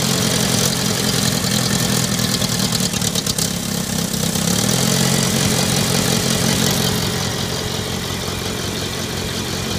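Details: Later-model IH Farmall Cub tractor before tune-up, choke linkage disconnected, jump-started after a dead battery: lumpy uneven idle with wandering pace; running rough and needs a tune-up, cause suspected, not confirmed.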